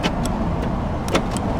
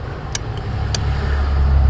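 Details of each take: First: Short sharp clunks from the door lock motors, a pair near the start and another about a second later. The locks actuate normally once current is fed to the orange-with-white lock wire, which had no current. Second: Power door locks not working though they used to: sharp relay clicks over low engine rumble with no lock motor whir, so the module activates the relays but the lock actuators get no power.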